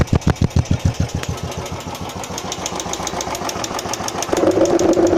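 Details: Royal Enfield Classic 350 single-cylinder settling into idle. Tick noise began about 20 km after the first service and recurred after another 150 km. A light, quick tick about three times a second rides on top; tappet/valvetrain noise is suspected, not confirmed.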